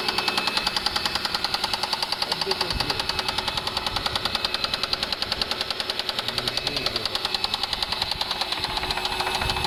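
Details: Mercedes W210 E280 4MATIC: sharp, regular ticking knock about three and a half per second over the running engine, steady throughout; internal engine knock, owner has suspicions but cause unconfirmed.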